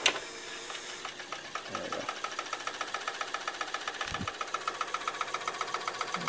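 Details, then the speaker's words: 1981 RCA SelectaVision CED VideoDisc player run with no disc loaded: steady rapid whirring with soft rhythmic rub about twice a second as the platter lowers, likely onto a stop pad; rubbing is normal, not the suspected fault. "rubbing there you go interesting yeah oh so the rubbing noise wasn't what I thought it was"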